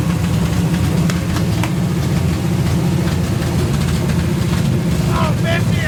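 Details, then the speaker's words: 454 big-block V8 stored about 20 years, first start after install with open headers: loud, deep lumpy rumble, steady and even; sounds like it may have a cam; running healthy. "I'll take it all day all right you can run out of gas now man I love it nothing sounds better than a big block it kind of sounds like it might have a cam in it"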